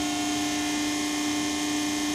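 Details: Pacific press brake with PC 800 control: steady, even mid-pitched hum with faint buzz, constant with no load changes; normal hydraulic pump running.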